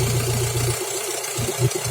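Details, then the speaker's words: F16D3 engine at idle with a deep, uneven, throaty rumble and blatty low pulses from a holed muffler. The engine itself runs evenly, with no misfire, no shaking and no camshaft rattle. Exhaust leak roar. "Рычит пробит глушак, сам двигатель не троится, не трясется, распредвалы не гремят. Работает ровно."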